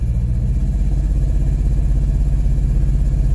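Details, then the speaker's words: 2014 Hyundai Elantra in gear while brake-torqued: deep rumble pulsing unevenly about twice a second, with a flashing check engine light showing a severe misfire. Cause: a failed coil-on-plug ignition coil. "i don't know if you can hear or not but if i go ahead and put this thing in gear and break torque it or power break it you'll hear maybe chug a little bit"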